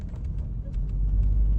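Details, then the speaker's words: Nissan Xterra that had been losing power under acceleration, with P0300/P0302 cylinder 2 misfire; driven under load in third gear at about 15 mph, a steady deep rumble with no stumble or shudder. The problem appears found; new spark plugs and a tune-up are planned. "so I think we found the problem there's no no shuttering I'm going to put it under load"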